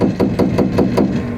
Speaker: When you shut off the sprinklers or your fixtures, it actually causes a water hammer hitting up against the structure.